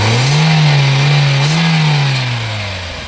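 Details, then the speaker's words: Hyundai Verna 1.6 SX VTVT petrol, 112,965 km, first owner: engine revs up cleanly and falls back smoothly to idle with no misses or knocks, described as smooth and excellent; healthy engine. "బండి engine sound వినండి friends చాలా smooth గా excellent గా ఉంటది బండి engine అయితే"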